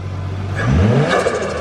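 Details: Nissan R34 Skyline RB25DE Neo (turbo) start after a modified intake manifold had its sealing fixed: short clean throttle blip, revs rise and settle smoothly with no misfire or stumble; engine healthy.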